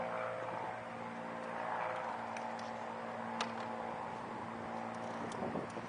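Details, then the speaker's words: Used 2006 Kawasaki Vulcan 900, fuel-injected liquid-cooled V-twin with belt drive and 16,461 miles; low, steady idle hum with an even tone and no ticking or knocking, a few faint clicks, a healthy twin. "We're going to fire it up for you so you can see how she sounds."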